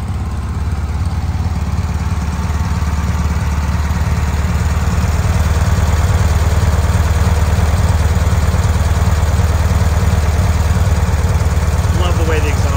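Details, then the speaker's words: Bradley GT kit car at start-up: deep, steady rumble with an even beat and no knocks or misses; engine idling smoothly and healthy. "go a and fire up it sounds great you can hear the motor has a nice smooth idle"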